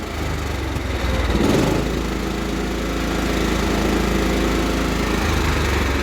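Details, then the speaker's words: Cub Cadet 1330 mower engine suddenly surging, rising and falling in speed with an uneven lope at idle. The owner suspects the throttle cable/linkage needs tightening and doubts it is out of gas. Cause not confirmed. "it's starting to surge all of a sudden now"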